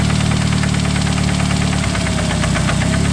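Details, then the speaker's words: Engine idling in bad shape, tested by disconnecting ignition on each cylinder one by one and listening with a screwdriver: deep heavy knock about three to four per second, changing on cylinder one; rod knock in cylinder number one. "cylinder number one is the issue here big time no time that's how you pinpoint exactly where your rod knock is at"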